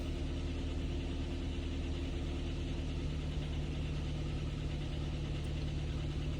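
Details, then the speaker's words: Kia Ceed with code P0172, hard starting hot or cold, no throttle response, sensors, valve adjustment and chain already done; fuel trims -15 at idle and -24 at part load. Idle on petrol jerks slightly, with a low uneven swaying beat. Rough rich idle from swapped LPG injector connectors. "Зараз вона працює, але трошечки підргується. Як тільки я газую, вона начинає ее задихатися."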